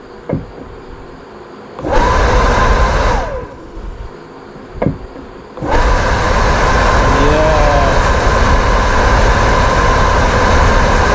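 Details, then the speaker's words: AC cabin blower motor from a 1972 Mercedes-Benz 280 SE 4.5 (W108), on the bench on 12 V after cleaning and lubricating the shaft bearings to cure a screech: brief start, then steady even whir, no scraping; runs freely. "I have to hold it it's really quite torky there I started wants to roll see how nice that is rolling nice"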